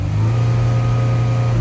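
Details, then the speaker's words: 2014 Dodge Durango 3.6L V6 after PCM replacement and ETC relearn: strong steady low drone held briefly at raised revs, throttle responding cleanly with no more dead pedal; crank sensor fault still pending. "no longer have a dead pedal."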